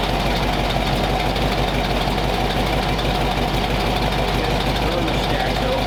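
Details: Warm flathead V8 after about 20 minutes of idle, temperature back down to 180 degrees with thermostat open, 30 psi oil pressure, no exhaust smoke; even, steady low rumble with no misses or knocks, running smooth and healthy.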